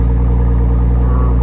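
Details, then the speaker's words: Nissan R34 Skyline sedan (Okubo Factory) on a cold morning, heard at the muffler: deep, even exhaust burble at steady idle, fires right up, no misses, rattles or noises, barely any smoke; normal idle. "Engine running, no issues, doesn't make any sounds, it fires right up."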